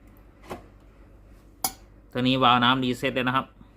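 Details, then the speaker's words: Tefal GV8461M0/23 steam generator iron (no steam, water light flashing) retested after reassembly: a couple of clicks then about a second of steady low buzz; water pump running normally, feeding the boiler from the tank. "Un bruit de fonctionnement de la pompe à eau retentira. La pompe à eau pompe l'eau du réservoir vers la chaudière, comme illustré dans la vidéo."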